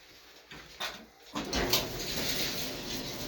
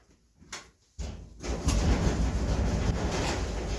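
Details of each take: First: Empty dryer after disassembly to fix drum thumping, suspected failed roller bearings: a few clicks then steady, even whoosh with no thumping; much quieter, running normally. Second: Empty clothes dryer (Inglis, similar to LG) running with a heavy, uneven thumping rumble and rattle from the drum; owner suspects a failed drum roller or roller bearing.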